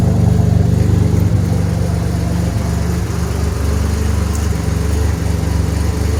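Steady, even low rumble at a settled idle with no misses or knocks; the engine is running smoothly now.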